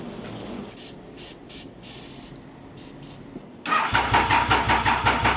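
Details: Triumph Daytona 955i motorcycle project with easy-start sprayed into the airbox: steady starter churning at about three beats a second with no firing or pickup; cranks but won't start.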